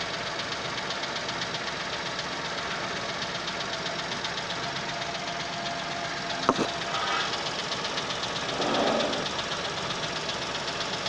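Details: 2021 Chevrolet Onix LS 1.0, first cold start of the day. Quick, light ticking knock about four beats per second over the engine hum; owner finds it abnormal, car under dealer inspection, cause unknown.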